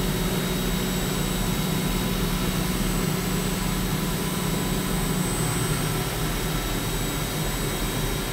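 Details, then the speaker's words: CNC milling of aerospace A286 stainless steel at about 20% radial engagement, over one inch deep: steady, even roar with constant low hum and faint high tone, a healthy cut without chatter. "over one inch deep sounds perfect"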